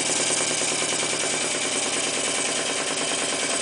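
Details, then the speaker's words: Clarkson inverted model steam engine (one-inch bore, 1.5-inch stroke) run on steam from a PMR boiler, blower raised: fast, even hissing chimney exhaust chuffs, roughly three per second, steady as it runs up to speed; healthy exhaust beat. "and you can hear the uh jumping now from the chimney snap of the engine the Wizards round to speed"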